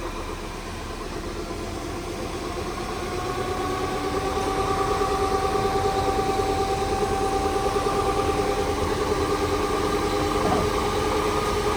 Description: This is the sound of a bad differential. This is actually a replacement for a prior differential, and we noticed that there was slowing when breaking and constant whining noise.